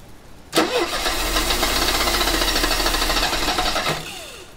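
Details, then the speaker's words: 1985 Mercedes 190E with KE-Jetronic injection and a rebuilt fuel system, fuel pressure raised to about 72 psi: it catches sharply, then runs ragged and uneven for about three seconds before dying. It is barely running and rough before the air flow disc is adjusted. "he's running he is running that counts a little bit right all right she is kind of alive kind of"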